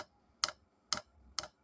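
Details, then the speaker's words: Vevor diesel heater after swapping to a quieter click-type fuel dosing pump, cover on, at start-up; sharp single clicks about every half second over near silence, maybe quieter but more bubbles in fuel line, normal dosing pump ticking. "Ah. Maybe it's more silent. But you can see it's more bubbles here."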